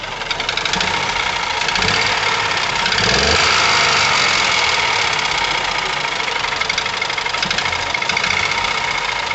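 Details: Ford Ka 1.0 12V three-cylinder, microphone near engine: harsh metallic knocking over a rough, vibrating, misfiring, powerless engine, louder when revved twice; ignition and injection ruled out.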